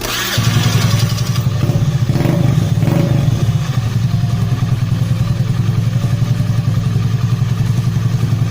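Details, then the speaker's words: Honda Beat carburetor scooter, start after reassembly with a homemade replacement for the lost decompression pin (missing pin makes starting heavy): catches quickly and settles to a steady, even putter, no stumbling or rough noise; normal start. "ใช่ครับตอนสตาร์ทไม่มีปัญหาไม่มีอาการสะดุดเครื่องยนต์ไม่มีเสียงหยาบแปลว่าปลอดภัยไม่มีปัญหา"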